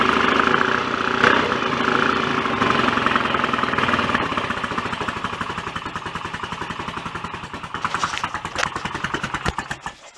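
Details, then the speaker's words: BSA A65 twin after engine rebuild, cylinder head refitted, first start on a warm day: even beat about 200 firings a minute, mechanically sounds quite good but the exhaust note is flat and lame from retarded ignition timing; to be advanced. "I can tell the ignition timing is very on that so I'll Advance it up a bit and try that again shortly but we've got a runner and it sounds okay too sounds uh quite good mechanically but very flat and lame due to the ignition timing I would say"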